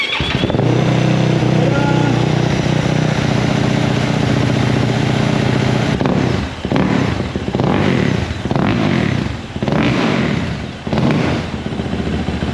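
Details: 2024 Yamaha YZ450F, first start with fresh oil and coolant: even, quiet idle rising cleanly through throttle blips and dropping back, no knocking or clatter; healthy.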